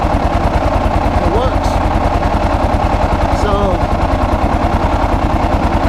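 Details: 2001 Kawasaki KLR 650 single with Eagle Mike 685 kit, carb adjusted for original jets, cold start using starter fluid; fires into a fairly even thump about three per second; hard cold starting cause unconfirmed.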